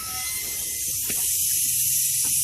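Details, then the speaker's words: 6.0 diesel high-pressure oil pump (HPOP) system air test, one injector already replaced: constant sharp hiss of air leaking from the head, not holding pressure; injector seal or oil manifold seal suspected. "I can hear it leaking out of this head right here you either got an injector seal that's bad on the injector itself"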